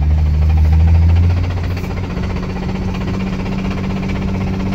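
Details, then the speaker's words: Imported JDM 1JZ, bought sight unseen with around 70k km, run about 500 miles; knock started after a few pulls. Heard from inside: heavy low drone with dull, uneven knock two or three per second, suspected serious rod knock. "it's got a very serious rod knock so we're gonna see if we can pull it from my grandmother's house up to my house"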